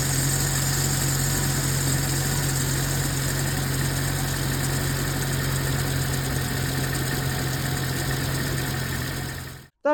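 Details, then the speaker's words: Nissan Tiida with LPG system, first start after long standing, needing 4-5 seconds cranking; compression and plugs fine: uneven, shaky idle with loping low rumble that stumbles and chokes; LPG system suspected as the cause of the rough running. "і тоді двигун як-неяк запускався, його трусило, він так захльобувався трошки, працював нестабільно."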